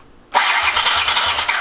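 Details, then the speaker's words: 1981 Honda CX500 Deluxe barn find, ignition hot-wired and kill switch bypassed: starter whirs with slow, even compression pulses about three a second; engine turns over but never catches, cranking with no start. "I got a little bit of life I got the engine to turn over"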